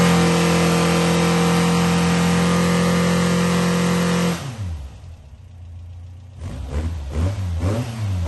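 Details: New 2275cc air-cooled VW engine, dual 44mm Webers, Engle 120 cam, warmed up after timing set, carbs synchronized, idle mixture adjusted and valves readjusted: steady idle about four seconds, then clean blips without misses or knocks.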